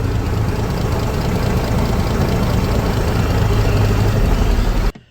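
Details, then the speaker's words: 1956 Century Restorer boat's marine flathead, first run after years sitting in a field, choke fully out, not connected to the cooling system: deep, steady, even idle with no knocks or misses; normal idle. "perfect now we're not going to let this get too hot we don't have it hooked up to the cooling system right now we just want to verify that the thing's actually running"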